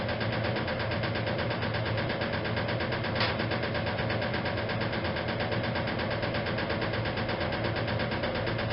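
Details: 1956 Whirlpool Imperial automatic washer, fully restored, in final spin: steady spin hum with a loose, uneven rattling knock from the rear motor access plate never refitted properly, vibrating against the cabinet; harmless, not affecting operation.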